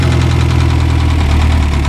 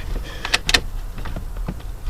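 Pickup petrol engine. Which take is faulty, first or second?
first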